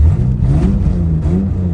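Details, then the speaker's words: Car idling after O2 sensor replacement: deep, uneven, watery burbling chuff, throaty like a V8; exhaust leak, owner suspects the barely hand-tight new O2 sensor backed off. "That was such a huge exhaust leak. Can I do this with one hand? Oh my God, that feels so much better. That's crazy. Jeez, wow, I was losing so much pressure. Exhaust leak just got so much worse."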